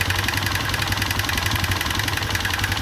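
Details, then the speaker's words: Honda Revo Absolute idling with cam chain held tight by screwdriver: sharp metallic tapping about four per second remains; owner suspects worn, undersized piston. Piston knock. "Nah, ini sudah keteng sudah kenceng, tapi mesin masih tetap bunyi. Tuh, masih bunyi ngelitik gitu. Nah, saya curiganya yaitu ada di piston yang mulai mengecil."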